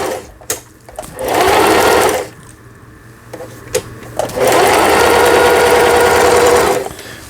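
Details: Juki HZL-series household sewing machine after repair of feed regulation cam and bobbin case damage from sewing thick fabric, zigzag stitch test; two bursts of fast even needle chatter, no knocks, stitching normally.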